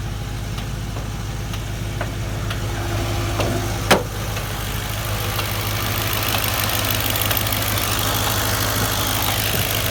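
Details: Audi B6 S4 petrol at idle: light, quick ticking over a steady low hum; cause unknown.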